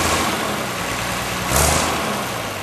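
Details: Unrestored 1955 Allis-Chalmers WD-45 diesel tractor on a warm summer day, already run earlier: steady low diesel clatter, even firing with a brief swell as it moves off, no knocks; normal running.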